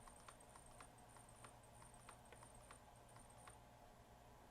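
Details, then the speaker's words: Waterpik SF-03C/SF-03W flosser pump motor on bench supply near its 1.7 volt stall point: low steady hum with light regular ticking about three per second; motor turns slowly but is fine. "the motor is running perfectly drawing 33 amps you can kind of hear it pumping 5 amp let's see where it stalls at right there 1.7 volts okay I'm going to say the motor is just fine and it starts up at"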